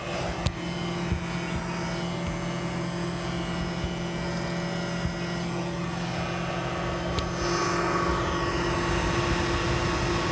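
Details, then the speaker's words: Chevy Bolt EV on hilltop reserve charging, at battery capacity: steady whirring from the radiator area rising in pitch and growing louder, slowly winding up; loud cooling fan run-up, cause unclear to owner. "but just it's a little a little loud and it slowly winds up so Wow listen"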